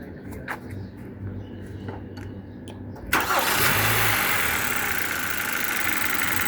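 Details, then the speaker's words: 2015 Kia Optima after repair of cylinder 2 misfire (faulty ignition coil and worn spark plug replaced), start from cabin: engine catches cleanly, settles into smooth even idle, no stumble or vibration; check engine light gone; normal start. "गाड़ी के अंदर कोई वाइब्रेशन नहीं है।"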